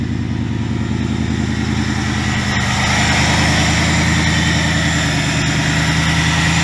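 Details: 2000 Ford Mustang GT with a Lincoln Mark VIII 4V swap engine, idling after fixes for earlier sputtering (idle air control change, ECU board cleaned with electrical cleaner). Steady, even V8 idle with a firm low burble, no misses or stumbles: normal idle.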